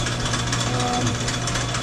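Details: Sidney Machine Tool lathe, about 100 years old, with an overhead support. A steady, even mechanical hum with a light rapid patter from the belt drive and no knocks or grinding; it runs normally.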